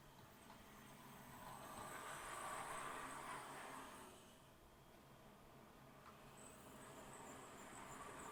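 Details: Accurascale Class 60 model locomotive, squeaking out of the box, after a first oiling: faint motor hum with high bird-like chirps; the drivetrain still squeaks, only slightly quieter, apparently from more than one spot, one end louder.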